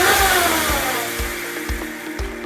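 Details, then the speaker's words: MJX Hypergo H16BM RC car after rear diff swap (7000 diff fluid) and spur gear upgrade: electric motor whine rises then eases, smooth gear mesh, no clicking or grinding; drivetrain healthy. "hold down the front and let's hold down the rear that sounds really good"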